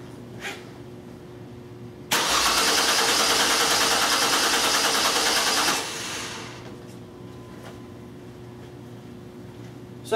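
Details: 2002 Mercury Cougar 2.5 L, electronic returnless fuel system, new pump with reversed wiring, very weak battery on a charger, cranking at about 7.8 V: starter cranks steadily about four seconds and never catches; no fuel pressure; crank no-start.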